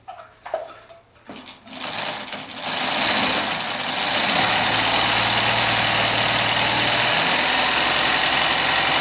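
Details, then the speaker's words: A Chaika-2 sewing machine has had its cracked nylon half-gear replaced with a metal one. The new pair, not yet run in or adjusted, runs with a fast clatter, a hard metallic whirr and some rubbing; gear position is to be adjusted. "Ладно, это надо на скорости погонять. Это лучше будет. Притрется пара. Звук, конечно, не очень."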